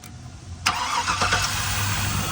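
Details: Engine first start after repairing a knock from a broken rod, parts torqued: short crank, then fires and runs briefly at an even idle with no knocking before shutdown; normal engine start.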